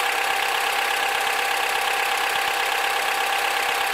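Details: Honda K20Z2 engine at idle: steady idle with faint slightly uneven tick about three times a second; odd engine noise, source not yet pinned down.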